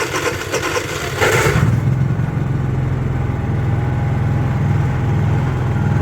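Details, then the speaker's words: Honda EU3000is generator after cosmetic restoration, cold start on a little choke: short cranking burst catches quickly, settling into a steady even low hum; healthy cold start and idle. "want to hear it run one more time maybe you've never heard it run on this video okay little choking little chage"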